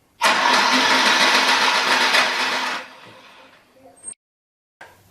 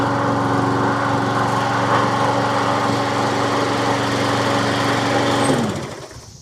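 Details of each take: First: Troy-Bilt self-propelled electric-start push mower with Briggs & Stratton engine: starter spins it fast and evenly, about four turns a second, with no compression thumps; no compression because the exhaust valve seat has come out. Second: Troy-Bilt self-propelled push mower with Briggs & Stratton single-cylinder engine, after repair of no-compression fault, started on electric start: engine catches and putters steadily at an even beat for several seconds before winding down; runs cleanly.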